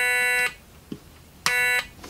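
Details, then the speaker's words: Stylophone pocket synthesizer sold on eBay as not working, blamed on battery corrosion, switched on during repair: two short, steady, buzzy notes, clean with no crackle or dropout; normal tone, the noise the owner remembers. "when you switch the switch on you can hear a hum coming from it [Music] ah that's the noise i was used to hearing"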